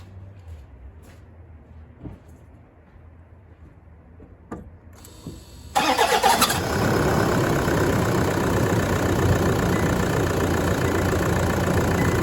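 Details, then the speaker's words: Freshly installed new engine, first start at final inspection: quiet clicks, then a brief high squeal while cranking before it catches into a steady idle; suspected squeaky starter motor. "bit of a squeaky starter motor I'm thinking anyway"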